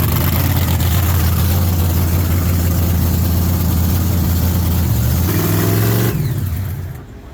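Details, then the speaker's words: Race car warmed up after replacing a bad axle bearing that leaked 80-90 gear oil: deep, steady, smooth idle rumble then a brief blip and shutdown, no misses or knocks; gear temp stays good. "how's it looking Steve I think we got something to work with now yeah so idle smooth and gear temp stays good while it's running"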